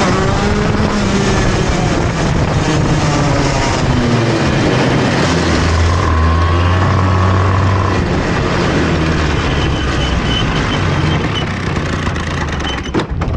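A screaming two-stroke pulls hard, then the note sags and stumbles as it comes off the corner. It bogs under acceleration.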